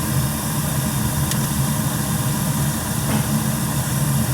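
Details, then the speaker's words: Newly installed gas boiler with three circulator zones, high limit 180°F and 15° differential, firing on first start-up: the burner holds a low, steady rumble with a couple of faint clicks; normal operation. "We should be ready to rock. I'm going to have them turn the thermostats down one at a time. Make sure that they shut off."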